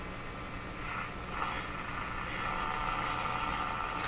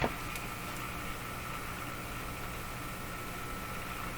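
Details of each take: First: Moffat (Crosley) G2465 five-tube radio, powered up on dim-bulb/variac around 91–100 V, tuning between stations: steady hiss with thin buzzing tone; electrical interference picked up. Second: Moffat (Crosley) G2465 five-tube radio at first power-up, brought up slowly to about 100 V: a steady low hum under an even hiss with a faint whistle and shop interference, with no station tuned yet; operating normally.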